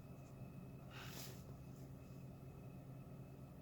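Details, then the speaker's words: Hyundai Solaris 1.4 manual, 22,900 km, known knocking engine, fully warm idle around 750 rpm: soft steady low hum, only power steering hum, no ticking or knocking heard. "Слышите, полная тишина. Все, только гудит гидроусилитель."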